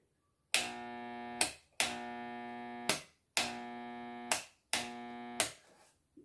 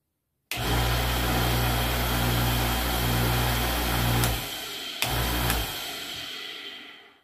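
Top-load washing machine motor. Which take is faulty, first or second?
first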